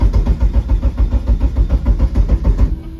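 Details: Eagle Talon/Eclipse SRT4-type car on MegaSquirt ECU, fixed timing set to 10°: even cranking about three and a half pulses a second that never fires, then stops; ECU keeps losing crank sync. Crank no-start from trigger sync loss.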